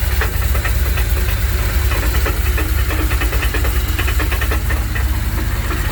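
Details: 1984 Dodge D150 with a 360 small block V8 at idle, banging began suddenly after a 5-hour road trip; exhaust ruled out, good oil pressure; deep rumble with uneven hard knocks around three a second; loose torque converter knock.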